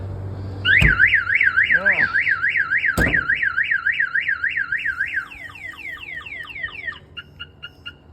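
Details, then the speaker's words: 1992 GMC Sierra 1500 Z71 with Viper 5706V alarm: warbling siren then quick chirps; the extra second chirp on arming signals the hood pin switch reads the hood as open. "so right now I got that second chirp because the hood pin is open"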